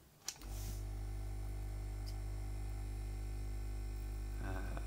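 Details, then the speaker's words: Cheap battery-powered "ultrasonic" jewellery cleaner switched on gives a steady low hum with a faint rattle and no high whine; it feels like a counterweighted vibration motor, not an ultrasonic transducer. "that doesn't sound particularly ultrasonic to me in fact that sounds very subsonic to me that sounds and feels like it's got a counterweighted motor and nothing else"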